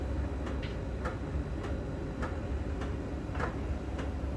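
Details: Miele dryer during drying: light even ticks roughly every half second over a soft drum rumble, made as the sensor ball touches a contact on the drum's outer surface; normal operation.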